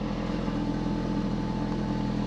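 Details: Ford Focus RS Mk3 just started after fault codes cleared (suspected low battery); steady even low idle rumble with faint intake hiss, not yet warmed up; healthy idle.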